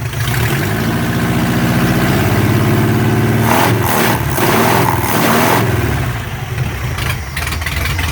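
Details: Chevy LUV 4x4 carbureted engine, dead cold with no choke: engine climbs smoothly through a few blips and settles back to an even idle with no stumble; revs cleanly.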